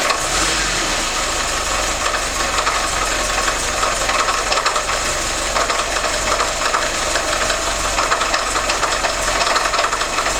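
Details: VAZ 2101 (Lada) petrol engine running rough with steady metallic rattle and knocking throughout; cause unknown.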